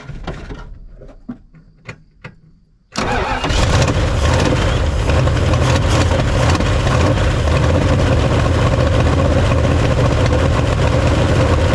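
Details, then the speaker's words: Mopar engine (Chrysler) first start in five or six years after carb cleaning, Holley square-bore carb on spread-bore intake, vacuum leak suspected: catches after a few cranks, loud ragged blatting idle; owner suspects exhaust in rough shape, engine runs well. "sounds like my exhaust is in pretty rough shape but the engine started and she run well"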